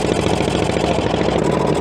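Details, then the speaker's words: CAT D8 dozer not run in decades, pony motor with rebuilt carburetor: fast, hard-working chugging at full throttle without easing, straining to crank the cold main diesel; still too cold, needs warmer oil. Cause suspected, not confirmed. "I feel like we had something there for a second but not enough still a little cold definitely still a little cold that poor Pony's"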